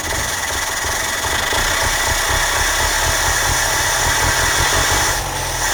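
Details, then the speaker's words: 1968 Morris ambulance van after carburetor fix (bent float rod straightened): steady, even engine note at constant speed, no misses or knocks, slight background hiss — running normally. "think that's better yeah sounds great start doesn't it that sounds lovely not too bad isn't it with a simple fix to the carburetor the moris is on the road and running"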